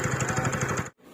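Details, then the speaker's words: TVS Ntorq scooter with a fast, even ticking (kat-kat) from the rotor/fan side at about twelve per second, then cutting out. The service centre diagnosed a loose starter one-way clutch needing replacement. "और वो one ब clutch उन्होंने मेरे को कहा कि यह आपका ढीला हो गया है और इसको बदलना पड़ेगा"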